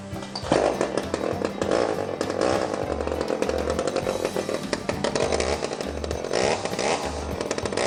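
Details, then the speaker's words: Old Stihl 009 chainsaw after carburetor cleaning, wide open throttle while high-speed screw is turned in and out between rough points to find the middle: steady high-pitched two-stroke scream wavering slightly during high-speed mixture adjustment. "once I get it running and have it wide open you screw it in till it runs a bit rough you screw it out slowly until it runs rough you figure out where the middle is"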